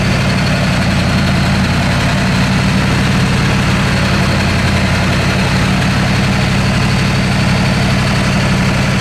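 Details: Ford F250 7.3 Powerstroke diesel, straight pipes, after high-pressure oil work, first test drive: deep rumble with uneven, lumpy beat, one cylinder seemingly missing; bleeding air didn't help, can't get into boost; misfire from misplugged injector harness.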